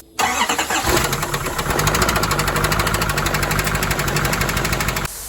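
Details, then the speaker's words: Truck engine on its first start: cranks, catches, then a rough idle with a hard steady clatter each turn; a shop scan showed a dead number three cylinder and the sound was judged top end, traced to a bent pushrod. "so the last time we talked about this actual the actual truck part was when I talked about the engine you heard it when I started up for the first time and it sounded really bad"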